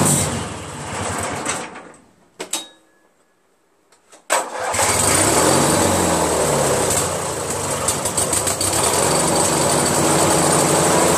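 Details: Craftsman DYT4000 repowered with a 14 hp Briggs twin, battery fully charged with the charger connected: labors and dies when the PTO blade clutch engages, then cranks and catches again. Owner suspects PTO/crankshaft length mismatch or the stator; unconfirmed.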